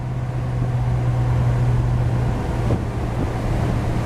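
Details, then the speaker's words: 1949 GMC 100 with 350 V8, timing retarded from 13.8 to 12° BTDC to cure ping, back-road cruise at about 1,800 rpm, 45–46 mph: steady even low drone over road rumble, firing cleanly on every cylinder. "The engine's just breathing and passing air just like it should. Truck's running good."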